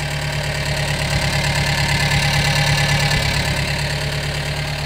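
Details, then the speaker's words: Gehl 3510 skid steer petrol engine, warming up after new throttle cable: steady low-pitched idle with slight lope about three pulses a second; uneven idle, owner thinks carburetor may need a little adjustment. "Might need a little adjustment on the carburetor."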